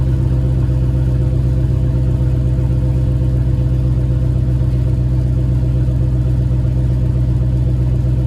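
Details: Cold start idle with JBA shorty headers and stock exhaust after exhaust leak fixed: petrol engine idles with steady deep exhaust rumble, no ticking or puffing leak; normal cold idle.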